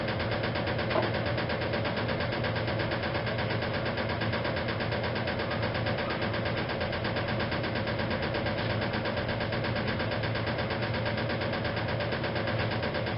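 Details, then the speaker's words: 1956 Whirlpool Imperial washer during final spin: steady drone with an uneven light knock about 85 times a minute. The loose, improperly refitted rear motor access plate is knocking, but it does not affect operation. "about that knocking the sound that you hear that is actually the rear plate of the machine that says I never managed to get the motor access plate fitted back on properly from this machine"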